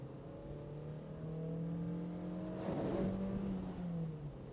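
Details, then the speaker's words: Mazda MX5 NC (Copart car), recorded in cabin with windows up, pulling after a downshift to 60 mph: clean smooth pull, note climbing evenly, no knocks or rattles; engine doing great. "we're at 60 M hour now and it's doing great it's really doing good"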